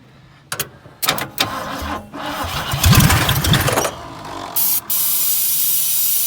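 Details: Dirt-cheap Ford Fairlane that sat in dirt, started by jumping the solenoid with starting fluid, ignition still unfixed; starter grinds in short bursts, engine catches and runs rough about two seconds, then dies to a hiss; runs only on starting fluid.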